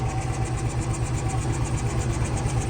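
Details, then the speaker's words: 1977 Lincoln (Continental Mark V) V8 started after about three years in storage, rough lumpy idle with smoke; varnished fuel filter, known vacuum and exhaust leaks, bad water pump, new battery; rough idle but running. "Sounds pretty rough right now, but good thing is though, it is running."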